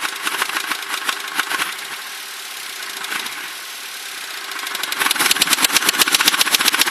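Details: Crown Victoria that developed this noise recently despite always having great maintenance; sharp regular knocking about three to four per second over the idle, louder as revs rise; owner suspects rod knock, source unconfirmed.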